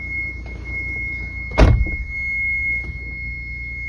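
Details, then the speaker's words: Mitsubishi Montero running on a jump box, clock reset to October 1, 1999, doors closed and parking brake off: a constant high-pitched electrical buzz inside the cabin with one thump, source unknown; cabin buzzing noise. "However, when you get inside of it, it has this horrible buzzing sound."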